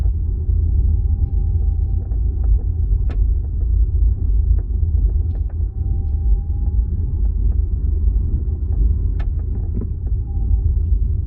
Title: 2025 Ioniq 5 Ultimate boot trunk rattle creak noise